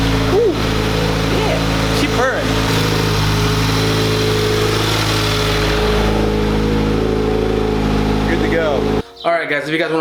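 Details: 2018 Subaru WRX after spark plug replacement with NGK plugs, first start: steady, even idle with smooth low rumble and no misses, ticks or stumbles; running cleanly.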